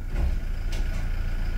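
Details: Toyota Hilux at idle after differential reassembly, dash showing injection, stability control and check-engine warnings: steady idle, then a sharp clunk shifting into D; harsh transmission engagement blamed ~90% on a weak battery after days parked.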